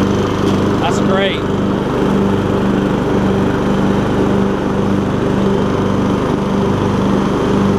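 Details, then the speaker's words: MTD Yard Machines riding mower after a transmission swap from a parts mower, deck blades engaged while driving: steady, even engine drone holds speed without surging or misses; runs smoothly under blade load. "there we go nice and smooth too I like it let's see if the blades will work perfect"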